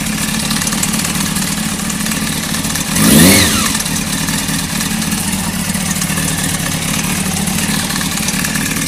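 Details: Honda CBR600 F3, just bought: steady idle with light metallic top-end rattle, persisting after a blip; owner wonders if cam chain tensioner is the cause.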